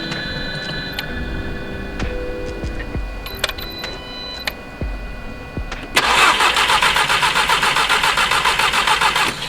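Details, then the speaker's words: Golf R that sputtered and died on the freeway with a stuck-open, leaking injector, with the spark plugs just refitted. Fast, even starter cranking at about four turns a second that never catches; cranks but won't start, and no spark is suspected, possibly a blown fuse. "Well, I get no, what I'm assuming is no spark."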